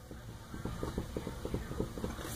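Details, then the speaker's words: Corvette right rear tie rod end heim joint, checked for unusual tire wear: quiet quick clicks each time the tire is wiggled side to side at three o'clock; movement felt in the joint, to be replaced. "and when i put my fingers on here i can feel it now i can't you know do that now i need to i've got one hand on the camera but i can feel it right there too i can feel a little bit of movement between this part and this part here so i've got to replace that"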